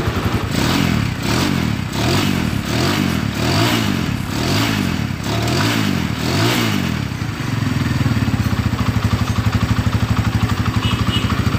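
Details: Honda Tiger New after repair of a rough engine noise caused by a failed cam chain tensioner and worn rocker arms; single-cylinder pulses rise and fall with throttle, then a steady even idle with no rattle.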